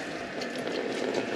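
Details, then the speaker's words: Concealed toilet cistern behind tiled wall in bathroom remodel: steady hiss of water trickling through without pause; valve not sealing and passing water into the pan, cause unknown. "what's going on with it why is it passing through like that I don't get it I do not get why that's passing through really don't understand it"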